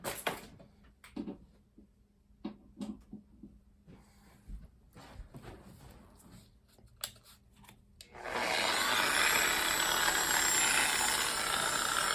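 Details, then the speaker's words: Chemical Guys Torq 15 DA polisher after spindle bearing replacement and gear regrease: steady even whir with only faint vibration and chatter, quieter than before; bearings sound healthy. "Quiet, it's smooth. I mean, you got your little vibration, a little chatter. That is actually a lot quieter. I will say that it is quieter than originally."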